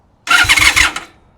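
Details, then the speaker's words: 1996 Honda Magna 750, sat in a barn about 4 years, first crank with clutch in. Brief starter spin with a few dull compression pulses, never catching: turns over but won't fire, fuel spraying out. Owner suspects very old tank gas and the carbs. "Oh, God, it just kicked out gas everywhere. Dang, all right, we're making progress. Now we know it turns over."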